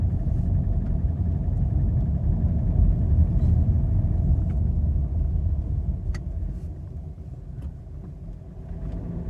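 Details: Subaru FB25 engine, driven about 20,000 km with the knock, knocking both cold and hot and also clearly in D or R: low rumbling idle with an irregular knock about three times a second plus a few sharp raps; source not yet found.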